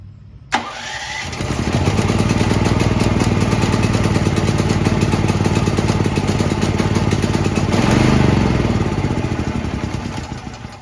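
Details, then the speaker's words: New Firman T07573 tri-fuel portable generator on gasoline, choke on: steady electric-start cranking about three to four turns a second for ten seconds, never catching; owner suspects too little fuel in the tank. "so for the gasoline I looked down there I thought I put a lot in it's barely sitting in the bottom of this tank so let's just go ahead and put more perhaps we just haven't used enough fuel to get this thing going"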